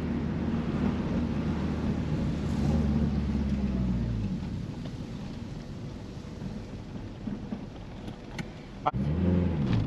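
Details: Honda Civic with G23 VTEC swap, break-in throttle body, after TPS recalibration (found out of spec): warm idle now holds steady around 500 rpm without stalling at stops; low, even rumble, normal idle.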